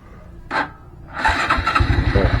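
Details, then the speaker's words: Honda Blade 125 FI with a starter complaint (only clicks), starter motor jumped directly from battery positive, old battery. A sharp click, then strong even cranking at about eight pulses per second; the motor is fine, so the control circuit is checked next. Normal starter cranking. "Kita sambungkan apakah nyala atau tidak. Kalau nyala berarti dinamonya dia masih bagus ya. Jadi kita enggak usah bongkar-bongkar dinamo."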